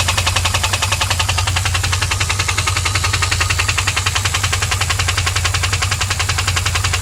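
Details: 2001 WS6 LS1 5.7L V8 idling with a sharp, regular tick, two to three per second; began at high rpm only, oil pressure dropped from 30 to 0, engine ran out of oil, tick after refilling, cause not found.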